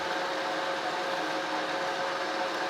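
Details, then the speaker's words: Monarch 16" Model K lathe turning a new planer drive shaft from recycled shafting, 0.025" cut (0.050" off diameter): steady even cutting hiss, no squeal or chatter; cutting cleanly. "that appears to be cutting really nice so far"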